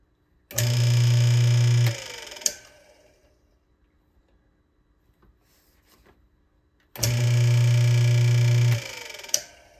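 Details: AC electric motor after repairing centrifugal start switch that previously only hummed; a click, then a steady low hum comes straight up to speed and holds evenly twice over; starts and runs normally.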